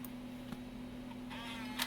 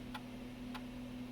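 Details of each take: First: Macintosh PowerBook 165C floppy drive with known-good 800K disc: faint ticks and short whirring seek over low hum, then it quits, failing to read; bad floppy drive. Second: Macintosh PowerBook 165C floppy drive after reseating its cable flat (was at an angle): crisp ticks evenly every 0.6 s over faint hum, stepping cleanly through formatting a disk; normal.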